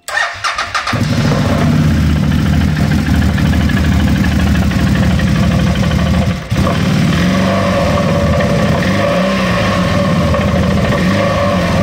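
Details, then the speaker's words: Used CF Moto X8 ATV before repair, engine started and held at fast idle: loud rough engine with uneven rattly drone underneath; variator (CVT) makes an unpleasant sound, variator repair planned. "she has a problem with the variator, the variator makes an unpleasant sound like this [music]"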